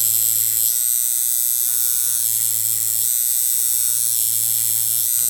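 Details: Coil tattoo machine with lengthened stroke, turned down to about 7 to 7.5 volts after 128 Hz at 58% duty: steady buzz that drags and loses snap; starting to bog from too little voltage.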